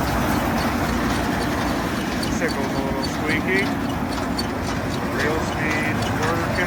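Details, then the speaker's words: Gleaner combine at auction preview, running warmer than the owner would like, auger engaged: steady even drone of diesel and threshing gear, no knocks or grinding, faint squeak; normal running. "All sounds fine. Yeah, it sounds pretty good. Auger is working. No weird noises over here."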